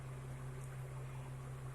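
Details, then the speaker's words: Car AC compressor after reinstalling the compressor relay, engine running with AC on, gauge at 30 psi; low steady hum with even drone, no knocking or rattle; normal AC compressor operation. "Hi kim trên ống góp đang ở mức 30 psi điều này cho thấy máy nén đang hoạt động bình thường"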